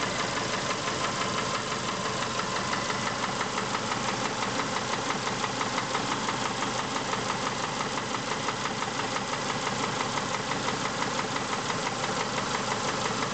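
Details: Subaru engine at idle: steady, even rapid ticking knock, about three per second; internal knock, source undetermined.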